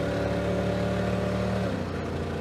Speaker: Oh, I can hear the misfiring of a 350 cubic inch V8 that's probably running on uh 220 cubic inches right now. Ah, runs so bad.